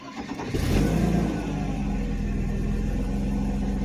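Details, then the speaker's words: 1991 Mercedes 190E with the rear exhaust section refitted, after cranking and starting: uneven low rumbling idle from the missing resonator, now only a straight can, plus high-pitched puffing noises from leaks in the pipes. "And then I just have this noises, like high-pitched ones. Those are the leaks from the pipes."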